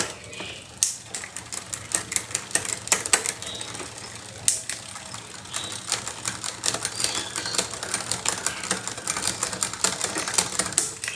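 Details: Bicycle rear derailleur before maintenance: sharp irregular clicks and chattering ticks in bursts as the chain hesitates and jumps between sprockets; delayed, noisy, skipping shifting, cause suspected, not confirmed.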